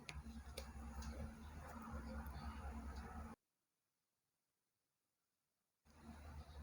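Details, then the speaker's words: Yamaha Vixion New with loose, uneven clicking from the rear over a low engine drone, sounding like a dry or overtight chain although the chain is oiled and not tight; the cause is a worn rear sprocket carrier bearing, fixed by replacing it. "suaranya itu seperti rantai yang kering ataupun rantai yang terlalu kencang ya padahal untuk nantinya sendiri ini tidak terlalu kencang ya dan juga rantainya basah karena sering saya lumasi dengan oli ya tapi kenapa dia keluar suara seperti itu"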